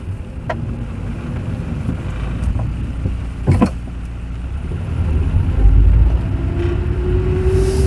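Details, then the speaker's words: Toyota with Aisin five-speed robotized manual gearbox (MMT) driving: dull thump as it shifts into third, road hum; knock when shifting into third gear, with mechanics' earlier repair errors found in the gearbox. "Toyota robot пятиступка. Стучит третья передача."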